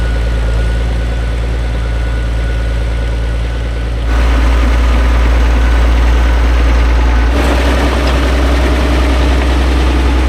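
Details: Vintage TD9 bulldozer diesel after starter motor repair, shim added behind the worn starter drive so it engages: deep, steady idle with an even low thrum of about three and a half pulses a second; running healthy.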